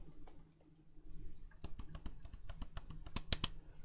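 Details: Xbox Elite Series 2 controller, left trigger tested during repair: crisp, light plastic clicks with each pull and release, even and clean with no scraping, unlike the right trigger rubbing the rear shell; normal trigger click.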